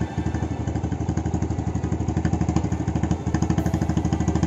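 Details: Honda Astrea Legenda carbureted single after clearing a stuck slide jammed by old wire insulation (needle had come loose) and cleaning the carburetor: even steady putter about three beats a second, no misses or clatter; healthy idle.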